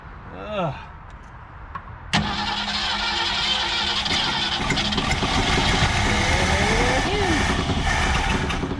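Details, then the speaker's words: 1967 Ford Galaxie 500 with 289 V8, revived after years sitting, no coolant in it: steady cranking about four turns a second that never fires because the tank has run out of gas. "yep she is out of gas"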